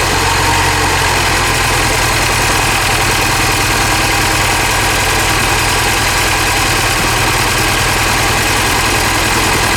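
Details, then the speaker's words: Mini Cooper S Clubman at idle: coarse, uneven rough idle; cylinder 1 misfire persists after plug swap, coil suspected, misfire later moved cylinders and high-pressure fuel pump suspected. "after swapping the plug still have a Pio throw one misfire one so I'm guessing the coils bad"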